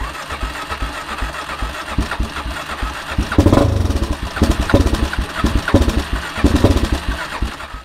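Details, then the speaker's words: ATV on pull choke about halfway, no throttle: uneven, pulsing turnover with louder catches that build and fade after roughly 30 seconds to a minute of cranking; it fires but won't stay running; owner plans to check fuel, air and spark, starting with the spark plug. "oh there she goes what was that guys about 30 seconds of starting maybe a minute she doesn't stay running though"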